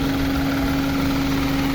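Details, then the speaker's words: 2010 Honda Civic, fuel-injected VTEC engine, automatic, never fitted with gas: steady, even idle hum with constant low tone, no stumble, puffing or smoke; engine runs smoothly and healthy. "นี่ครับเครื่องยนต์เดินเรียบๆนะครับไม่มีสะดุดนะครับลองฟังเสียงเครื่องได้ครับเครื่องของHondaเครื่องvtechนะครับ"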